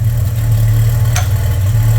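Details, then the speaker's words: VJ Dodge ute at idle with new custom 2-inch exhaust and proper muffler, not yet driven in: steady deep idle with an even mellow exhaust burble; normal, though some smoke is visible and tone should change as the muffler packs in. "got a little burble to it yeah it's got a little smoke to it as well but that's a different story"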